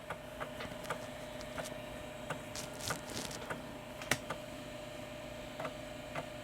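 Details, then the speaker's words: 33-year-old 1989 Philips PCL 304 i386sx laptop floppy drive, feared stuck head or perished belt: faint steady spinning hum with evenly spaced head clicks every half second; spinning and seeking normally, access light on. "oh I can hear it it's definitely spinning and I can hear the head accessing stuff"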